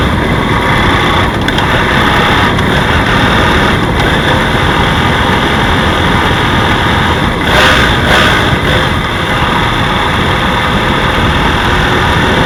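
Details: BMW F 800 GS motorcycle at steady idle with faint, irregular light knocks over the engine note; a knock is present but its source is unknown.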